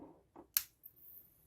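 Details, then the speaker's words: HDL intercom exchange power supply after replacing an electrolytic capacitor, powered through a series lamp: click at switch-on then faint, thin, very high steady whine from the supply; still faulty, power supply whine. "Ligou. Ela só tá chiando, não sei se dá para ouvir pela câmera. Esse chiado não é legal."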